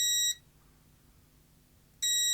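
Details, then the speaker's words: Parkside PDM 300 C3 digital multimeter in continuity test: clean high beep that cuts off instantly when the probe is removed and snaps back on with no clicking or crackle, a quick, solid continuity response. "so you never want to hear that clicking noise you always want the continuity to be as solid beep"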